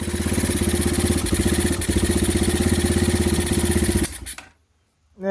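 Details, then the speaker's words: 2015 Bashan Storm 250 single on choke with a booster box: steady, even, healthy thump with no engine clacking, then it stumbles and dies within half a second as the small tester tank runs out of fuel. "i've run out of gas like i said this uh this tester tank did not have much in it so i'm gonna have to go get some more fuel"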